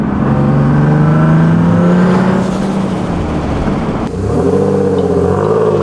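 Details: Boosted single-turbo Nissan 370Z Nismo driven on a nearly 100-degree day after an exhaust leak was fixed: smooth, even drone rising with revs, a clean shift, then pulling again, no ticking or puffing; exhaust healthy.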